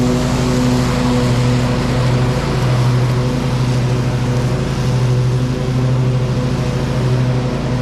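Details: Bad Boy Maverick zero-turn, Kohler Confidant V-twin, after new ignition coil fixing one-cylinder low-power fault, new deck belt, cutting thick grass; steady even low drone, no bogging or surging – normal running under load.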